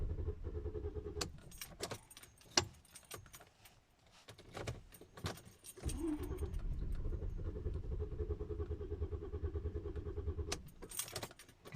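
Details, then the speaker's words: Car that would not start, cranked repeatedly for about three minutes and more: faint uneven starter churning with clicks and key rattle, never catching; long crank-no-start, cause not yet found. "it doesn't run do you hear that i am in trouble my car doesn't want to start and how can i go to my work"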